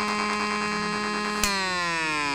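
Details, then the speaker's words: Homemade AM transmitter heard on a radio: steady buzzy tone rich in overtones, with a second whistle sliding downward behind it partway through; stray oscillation of unclear source, possibly external or the breadboarded astable multivibrator not working fully. "whether that's that second o oscillation of sound which you hear in the background is uh due to some external um source of of sound I don't know or perhaps it's just my aable multivibrator uh you know that that second oscillator that is simply not working 100% on the breadboard I don't know"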